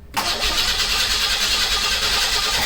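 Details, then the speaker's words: 1986 Pontiac Fiero GT, old neglected car on a newly installed battery: starter spins the engine at a steady even rate for a few seconds but it never catches after multiple tries; crank no start, no spark. "and after trying multiple times [Music] it just wouldn't start so now it was time to do some troubleshooting"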